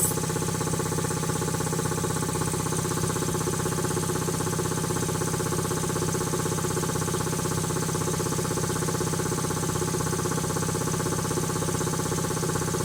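Even, steady pumping at about three beats a second over a smooth motor hum, no knocks or air leaks; compressor running healthy.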